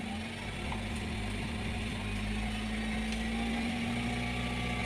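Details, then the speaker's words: Honda Civic FD 1.8 (R18) with US-brand LPG kit in auto mode, after replacing the tank solenoid coil that prevented switchover: steady idle with faint clicks as the new tank solenoid opens, indicator stops blinking; gas switchover now works normally. "อ่ะเสียงเซนนอยทำงานะเข้าแล้วนะไฟหยุดกระพริบละเข้าละ"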